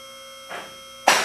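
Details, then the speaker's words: Advantage 4-Post lift on its first raise to the top, before adjustment: two separate metallic lock clicks about half a second apart over a steady pump hum; the locks are not yet synchronized and need adjusting. "At this point, we have not adjusted them, so they're not clicking all at the same time."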